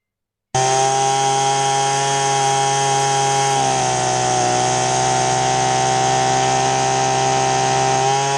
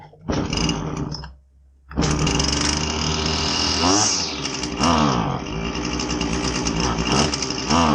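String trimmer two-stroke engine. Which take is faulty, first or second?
second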